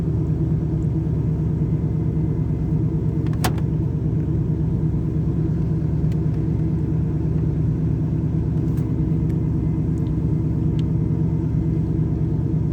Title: Camaro IROC Z Rough Idle and Stalling When Warm